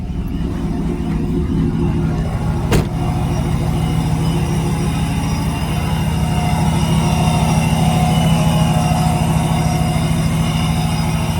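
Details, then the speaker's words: Supercharged Hemi V8 in a Mega Cab truck idling at cold start after plugs were re-gapped tighter for a multiple-cylinder misfire. It settles fast with little high idle, a deep, steady, calm burble with no misses or knocks. Normal cold-start idle. "Super tame right now. When it first starts, it actually sounds super tame. It doesn't do that high idle as long. It just sits here and chills, you know, and it's just calm."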